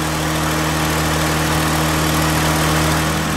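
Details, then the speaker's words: Honda/Acura with its cooling fan relay replaced by a salvaged one, A/C on, engine idling: loud, even rush of air from the condenser and radiator fans with a steady low hum, no rubbing or rattles, both running properly. "this this is the condenser fan and it's spinning cooling fan is also"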